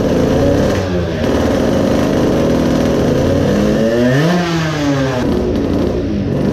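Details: Modified 20 hp two-stroke moped engine with a low-power problem, carburetor suspected: ragged revving rises and falls unevenly with a sputtering, choked edge; loading up on fuel, running rich.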